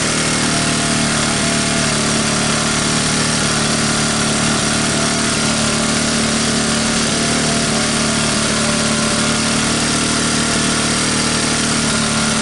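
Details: 1985 Honda ATC125M single, revived after seizing, PZ27 carb and portable 12V CDI, just after cold start: fast steady idle, even firing with no knocks or misses; runs normally.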